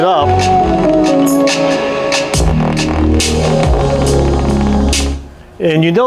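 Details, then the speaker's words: Soundcraftsmen A2502 amplifier (about 125 W per channel), microphone at the speaker, playing music: output turns rough and fuzzy on heavy bass notes, over hum in both speakers; failed supply filter capacitor letting ripple through. "that the bass notes are really where we hear the distortion. The bass notes are what take a lot more power."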